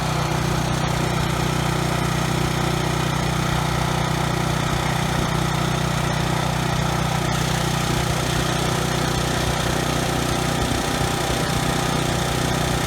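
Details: Briggs & Stratton generator engine after carburetor cleaning and governor tab bent to raise no-load speed toward 61 Hz: steady, even governed-speed drone, no surging or stutter at no load; earlier stutter resolved, running smoothly.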